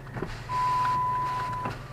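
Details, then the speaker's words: 2007 Chrysler 300C 5.7 Hemi, engine running during inspection: power window motor gives a smooth, even whir just over a second with no grinding or binding; normal operation, though one window is a little slow. "Okay. Good. Good. And I'm going to put that window up over there. This one. That one's a little bit slow."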